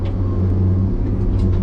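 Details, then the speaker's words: Loader after a fire, diesel running after an earlier bearing-like rotating buzz quit: deep steady rumble with an even unbroken note and no buzz, power and hydraulic flows fine; normal running. "It's doing fine, just like what it's supposed to be doing as far as running and the flows on it."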